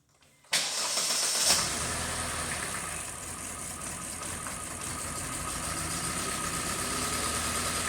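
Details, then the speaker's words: 2018 Kia Forte 2.0 L four-cylinder with timing codes and rattle complaint: uneven, lumpy idle with irregular stumble under hissy top end; exhaust cam fully advanced at idle; rough idle from over-advanced exhaust cam. "so again we are Advanced at idle and uh that's why it runs so bad because pressures are just not the way they're supposed to be"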